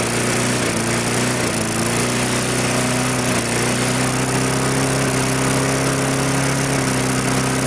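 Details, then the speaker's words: Mid-2000s MTD Yard Machines push mower with air-vane governor, after pull-start repair, drones steadily but pitch dips and recovers; fuel leaking at carburetor, owner assumes it detached from the fuel tank, causing mild surging. "so that leads me to assume that this carburetor has also loosened itself up and detached itself from the fuel tank"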